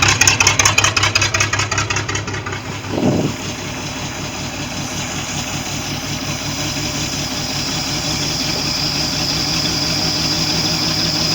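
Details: Mercruiser 4.3 V6 boat engine lacking power, compression 150, 148, 145, 145, then 30 and 20 on cylinders 5 and 6: uneven, lumpy idle with a regular stumble; pulling 5 or 6 brings no change.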